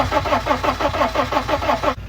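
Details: Modern diesel van: steady starter cranking about six beats a second with no catch or fire, not even trying to fire after an injector line was cracked; crank no-start.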